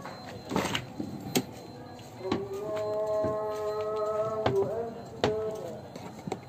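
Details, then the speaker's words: Daihatsu Xenia car door squeaking when opened, hinges and door checker rusted from rain and washing, before lubrication: drawn-out tonal creak rising and wavering over a few seconds as the door swings; dry rusted hinge and door-check squeak. "tentang memperbaiki pintu mobil Xenia yang berbunyi jadi kalau kita membuka Pintunya dia berbunyi"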